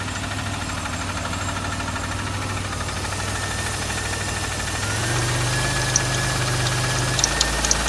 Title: Riv engine knock